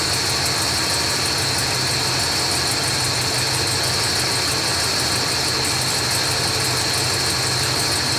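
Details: 1980s Ford motorhome engine idling steadily with a constant hiss on top, no stumbling or surging, just after installing a Standard Motor Products FV5K fuel tank switching valve and switching over to the other tank; normal idle.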